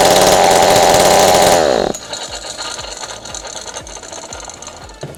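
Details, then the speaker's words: Ryobi 40cc chainsaw, hot, after cleaning (it previously would not start): high two-stroke scream holds for two seconds, then drops cleanly to a steady idle; running normally. "It's hot right now. I turned it on. It works perfectly fine now."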